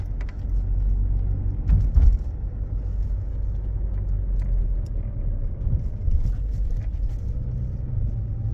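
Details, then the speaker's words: Toyota with Aisin MMT robotized gearbox after 3rd/4th gear synchronizer replacement and added gear washers, on a test drive: low road rumble with smooth shifts and no crunch or knock in 3rd and 4th; repair successful. "Ну что тест-драйв я вам скажу коробка бомба третья четвёртая вообще не слышно просто вообще не слышно"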